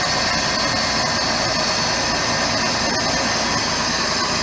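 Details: 2006 Jeep Grand Cherokee V6 started right after water pump replacement, cooling system not yet bled: even, steady idle with a smooth rush, no knocks, squeals or ticks, much quieter than before the pump change; normal idle.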